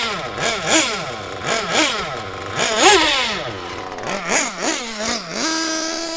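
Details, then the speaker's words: Mugen MBX6T nitro truggy. Burbling, uneven blips with revs wobbling before settling to a high steady tone; it runs super rich. The owner suspects a bad glow plug, not confirmed. "That is super duper rich now."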